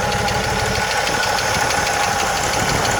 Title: 1980 Jeep CJ7 ticking noise